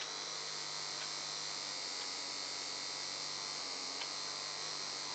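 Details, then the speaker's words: Bosch IXO screwdriver (3.7 V) run from a 4.2 V bench supply instead of its battery: steady even high whir with no growl, running fine; the growling with the battery makes the owner suspect the battery. "it is running just fine."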